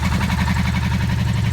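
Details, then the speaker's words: 1984 Honda V65 Magna VF1100C barn-find V4 idling on first start: smooth regular low burble, no ticking or misfire. "but that engine sounds so far so good sweet doesn't it"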